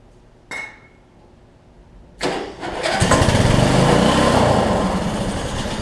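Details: Weed Eater riding mower with 16.5 hp Briggs engine, six-speed, sat a while: short crank, catches and runs raggedly for a few seconds, then fades. Fuel delivery suspected; later found likely debris blocking the fuel line, carb bowl clean.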